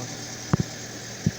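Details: Fiat Strada 1.4 Fire idling after a clean overnight cold start, fuel pressure about 3.5 bar; the fault is slow restarting after standing a while. Steady low hum with a few thumps from handling nearby; engine runs evenly. Normal idle.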